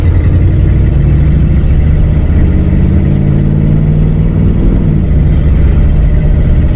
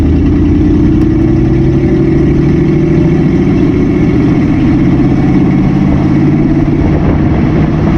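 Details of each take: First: 1959 AMC Rambler with 3-speed automatic, sat 40 years, after Seafoam Trans Tune treatment of gunked transmission: engine pitch climbs under light throttle then drops cleanly on a timely first-to-second upshift with no flare or slip; shifting fixed. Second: 1959 AMC Rambler 3-speed automatic, sat 40 years, transmission had been empty, warmed to operating temperature, driven before adding Seafoam Trans Tune: revs climb steadily for ten seconds, holding first far too long; very slow upshift into second.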